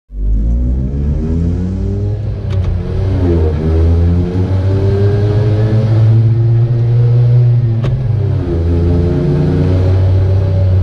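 A deep, uneven two-stroke drone climbs and falls with the throttle, with a rough pulsing note that sounds off; cause unknown.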